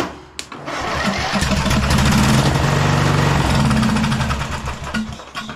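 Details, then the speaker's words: Scotts 15/42 lawn tractor: there was no crank after a new starter solenoid was fitted because the black wire to its third post was knocked off. Once reconnected, the starter churns and the single-cylinder engine catches and runs roughly before shutting down. "when I reconnected it I bumped the key and it turned over so I"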